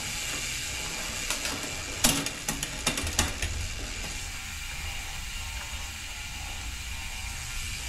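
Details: 2023 Santa Cruz Megatower after full rocker and link bearing service and drivetrain adjustment: quick run of sharp rear-hub ratchet clicks as the wheel spins freely, fading into a steady hiss; healthy, normal freehub clicking.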